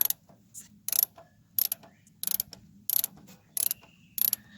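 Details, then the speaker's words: Old Cat 955L crawler loader: the pedal linkage is worked on the steering clutch/brake side that works, giving repeated dry metallic rattles but no click. The other side clicks, and its brake band is suspected broken. "This is the side that works. No click."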